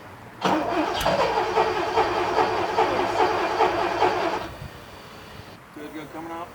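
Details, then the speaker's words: 1979 Porsche 928 V8 after sitting about three months: four seconds of steady starter churning, about two beats a second, without firing; it needed 10–12 key turns over 5–10 minutes to start, with injector squeal heard. "um that wasn't a massive surprise that it took so long um I don't know how much I show you but it probably took me 10 minutes to get it started"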